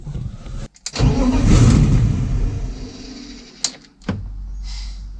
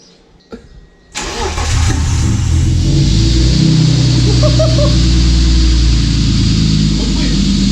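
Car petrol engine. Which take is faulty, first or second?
first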